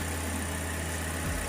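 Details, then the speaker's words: Toyota Rush petrol engine at idle with the AC off, after a throttle body cleaning and a fitted high-flow filter: smooth, even low hum with a steady beat and no misses, ticks or hunting; idles cleanly. "that's the engine sound with ac off"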